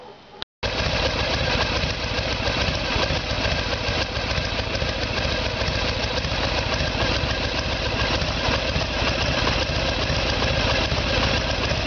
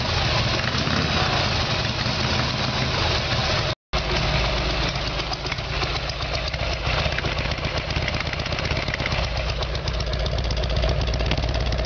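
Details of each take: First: 1994 Harley Sportster with 1996 Evolution V-twin, after carburetor fix and timing set: steady even lope about three and a half beats per second, no misses or knocks; healthy idle. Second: Harley Evolution Sportster, carburetor problem, rear cylinder not firing, before new plugs and timing: loud uneven idle, ragged lumpy beats and brief dropout; poor fueling suspected.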